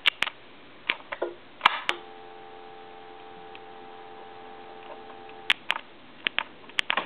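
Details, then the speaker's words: Western Electric Snoopy telephone: dial tone comes on and cuts out abruptly as the hook switch is tapped with sharp clicks. The hook switch on the main PC board is faulty. "so the switch is bad basically is what it comes down to"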